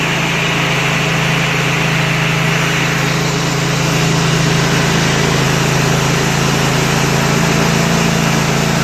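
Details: Kohler Command 25 hp CV730 V-twin on Husqvarna riding mower, after carburetor cleaning, coil replacement and mouse-damaged wiring repair: steady, even drone at constant speed, no surging, misses or knocking; running well.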